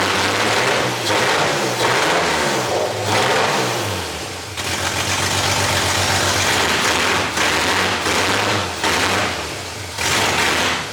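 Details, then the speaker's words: 2JZ-swapped Nissan 240sx first start, cold with no coolant, no exhaust, no O2 sensor, wrong ECU and MAF, fuel pressure just raised: engine runs unevenly, surging and dipping, never settling; rough running, owner suspects vacuum leaks and these missing parts. "foreign yeah it ran a little better right there I upped the fuel pressure just a little bit"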